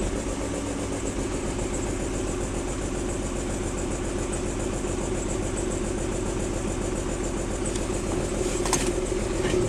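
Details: 1994 BMW 325i six-cylinder petrol, rough lumpy idle after cold start at 9am in about 45°F weather; worse in drive, rough acceleration easing at higher speeds; owner plans to check vacuum lines, spark plugs and coil packs.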